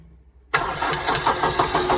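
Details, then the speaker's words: Liebherr loader with Deutz diesel cranks quickly and evenly but won't fire; fuel came from only one injector, and the electromagnetic coil controlling the injection pump rack had failed. "Оказалось всё-таки плохо. Электромагнитная катушка, управляющая планкой, которая подсадина к ТНВД, покинула чак."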